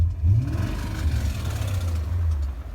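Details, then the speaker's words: 2001 BMW E39 M5, S62B50 V8, about 164,000 miles, driven across the country then in California: deep rough rumble as the V8 revs, with a dull knock buried underneath. Very unpleasant noises traced to failed connecting rod bearings. "he got some miles on it here in california and then the engine started making some very unpleasant noises so we figured it was the connecting rod bearings"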